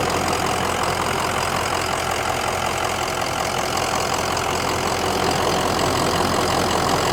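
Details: 2004 Ford Excursion 6.0L Powerstroke diesel 4WD, 202k miles, ICP 585, 13.7 V charging, warm, heard from outside: even idle with usual injector clatter and steady beat, no misses or knocks; healthy normal diesel idle.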